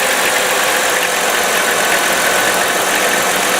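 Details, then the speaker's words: 1998 Chrysler Town & Country 3.8L after replacing the number one fuel injector that had set fault codes: steady, even hum at idle with no stumbles, misses or knocks; smooth and healthy, and the OBD2 scan then shows zero faults. "okay so we've started the engine here's to be running smoothly making the normal kind of Chrysler noise"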